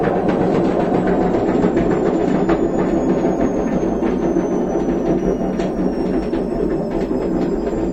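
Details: Washing machine with a destroyed drum bearing: heavy continuous rolling rumble with uneven knocking as the drum turns.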